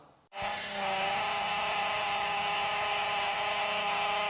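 Steady high-pitched whine with a buzzy edge holds constant pitch over the engine, typical of a noisy power steering pump.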